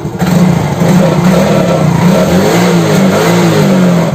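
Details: Yamaha X-Ride fuel-injected scooter after repair (the turn signal was killing the engine). It revs and settles smoothly with no missing or stalling. Battery 13 V, charging 13.6 V. Running properly.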